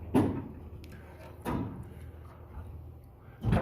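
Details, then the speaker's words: Old Armor two-speed door after one hanger roller was replaced, the other not yet done: travels quietly with soft thuds at each end of the stroke, no rumble or grinding, apart from a slight nick from a rivet; far better. "It already sounds so much better. Way better."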